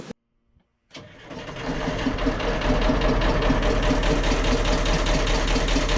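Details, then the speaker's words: Boat port diesel engine: starts after a short crank, then a steady, noticeable knock over the idle clatter, a bit over two per second; the fuel flowmeter showed higher fuel burn. "see Venus she started knocking noticeable knock the fuel started to on the field flowmeter she started to burn more fuel"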